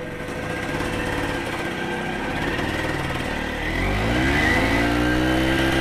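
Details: Kawasaki KE175 vintage two-stroke motorcycle pulled out of storage and made street-ready, transmission case oil checked: crisp even two-stroke crackle climbing cleanly in pitch as revs rise, no misfire or stutter; healthy engine.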